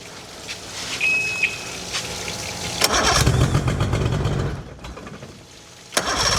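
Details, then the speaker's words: Swapped outboard on a small aluminium boat, first run on the water supply after installation, fuel primed all the way up; a good hot restart followed. Engine coughs and catches in uneven bursts, stumbling and fading before firing again: rough running, doesn't sound right. "Okay. Got fuel all the way up. Doesn't sound right."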